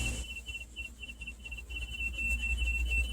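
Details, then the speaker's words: Beautyhealth BC-07D massage chair at startup: a thin high squeal pulsing about three times a second over a low motor hum as the rollers sit at the bottom bouncing; also happens in programs; not the remote, cause unknown. "That's all it does. It's making a high-pitched sound."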